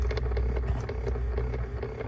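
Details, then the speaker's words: Jeep with everything switched off: repeated light clicks, about four a second, over a low hum from the HVAC door actuator motor behind the glove box. It is to be replaced with a new part. "to catch this here it's that little motor right there it's causing that"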